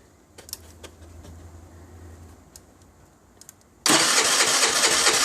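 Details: 2008 Baotian Tanco 50cc four-stroke scooter that can take 12 minutes to start: faint clicking and stumbling for several seconds before a loud burst of cranking; reluctant, hard starting.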